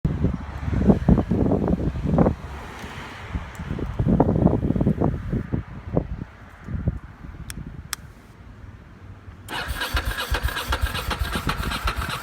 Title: Ducati monster won't start